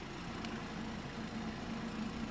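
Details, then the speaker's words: New BMW 3 Series after lubricating steering rack with white lithium grease through gap and torquing two bolts to 19 Nm: only steady low idle rumble while turning, no clicking; quiet steering. "听。一瓶小小的百里润滑脂，完美解决问题。"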